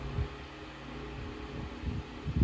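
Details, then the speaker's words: 1950s Electrohome 8-inch desk fan, model 608S, single-speed shaded-pole motor, after being moved off the loose table spot: soft, even hum with steady airflow and the rattle gone. Normal operation, with a slight shake possibly from a blade repair. "yeah it's a nice little fan it's pretty quiet it looks good there's a good amount of air it's definitely not the most quietest fan for the amount of air moves but considering this was a budget fan it's not bad"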